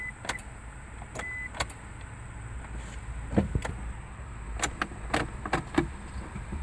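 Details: 1999 Isuzu Rodeo that won't start or crank: only a few sharp clicks with each key turn, the starter never spins and the engine never turns over.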